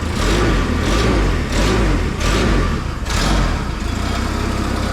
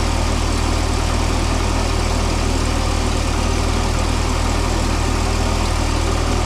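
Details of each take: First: Propane mini forklift engine after fixing the propane intake blockage and the throttle linkage, alternator not yet working: clean, repeated throttle blips about once a second with no stumble. Throttle responds properly; a slight rattle is probably the exhaust. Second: Mini forklift engine, propane-fuelled, radiator suspected of leaking coolant: steady, fast idle with an even hum and no knocks, idling really high; caused by a binding throttle cable, later removed and given a new bracket and bigger return spring.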